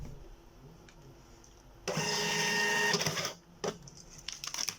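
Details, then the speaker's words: Birch CPQ3 receipt printer after cutter repair (cutter metal part repositioned and reset); test print runs about 1.5 seconds of steady buzzing, then one crisp cutter snap; prints and cuts normally. "There you have it, worked and clean."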